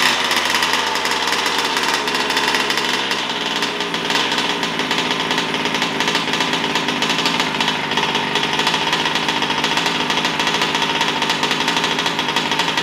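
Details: New Taylor RC 35cc two-stroke in a DBXL 2.0 RC car with Bartolone Racing exhaust and air filter, first start during heat cycles: crisp, buzzy, steady part throttle, clean and even with no sputtering or bogging. Normal running.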